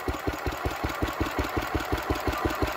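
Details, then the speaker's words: Petter W1H single-cylinder petrol engine, run last week, started to belt-start an old Lister D; steady single-cylinder putting at about five or six even, unbroken firing beats a second; normal running. "once our carb has filled up this one should start right up there we go come on girl"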